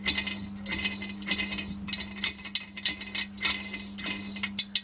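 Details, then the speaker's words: Audi B4 2.6 V6 gearbox on the bench, shafts turned: irregular metallic clinks and catches over a steady low hum; reverse gear teeth rubbing, having run dry without oil. "получается внутри шестерни задние задней передачи а она получается бету все это был бензин амано на сухую короче и она такой звук издавала"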